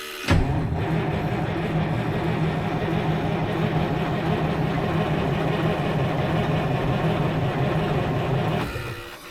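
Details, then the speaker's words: 1973 Freightliner cabover with Detroit 8V71 two-stroke diesel after blower reinstalled, fuel drained: steady even cranking churn about eight seconds, never fires; long crank no-start from fuel starvation. "Remember, we drained all the fuel out of it, so..."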